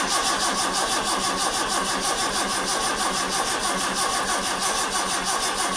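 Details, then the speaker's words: Vauxhall Chevette HSR replica not started in years, spark unchecked, no alternator fitted. A fast, even starter whirr with a steady churn of about 1.5 beats a second, but it never catches. The starter was sluggish and the body earth suspected poor, so an engine earth was added. "I'm just gonna give it a try very sluggish starter a little mess around with batteries battery connections and stuff"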